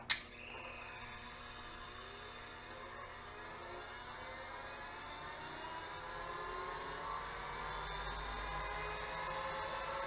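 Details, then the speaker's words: 1980s CDC Finch 8-inch hard drive after replacing the failed 7818 regulator: rising whir as platters spin up, light ticking of heads stepping through their self-seek test; drive now runs properly. "yes they did a self-seek test we're ready to plug it back into the machine and see what happens"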